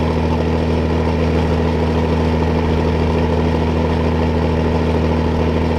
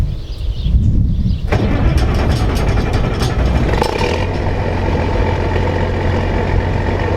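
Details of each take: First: Old diesel needing an added electric fuel pump, hot day, warming up: smooth constant low drone, no tapping, knocking or stumbling; normal idle. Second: Combine with Perkins diesel that won't start without the electric fuel pump, lift pump too weak: cranks, catches, runs roughly, then settles to an uneven low idle as if wanting to die; owner suspects a Perkins trait.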